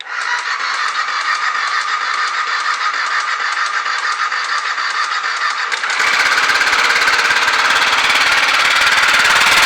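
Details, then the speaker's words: BMW F 650 single bought as having rod knock, started on choke before an oil refill: sharp regular tapping about three a second over a rattly idle; owner suspects timing chain rather than crankshaft, unconfirmed. "I can hear knock but I don't think that this knock is the crankshaft I think this knock is the timing chain"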